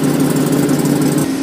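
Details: 2009 GMC Sierra work truck running at a steady, low, even idle with no ticks or knocks after being mistakenly boosted with 24 volts. It had been a no-start, no-crank with a CAN bus fault and a suspected bad ABS module. A left exhaust manifold leak is noted. Sounds healthy.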